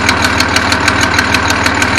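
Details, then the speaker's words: 1974 Datsun 260Z idling, cold, with a manual choke cable: sharp, crisp ticking about six times a second over a steady idle, a bad exhaust leak at the back, with crude welds seen on the collector. "Um, yeah. I don't want that sound. A bad exhaust leak back there."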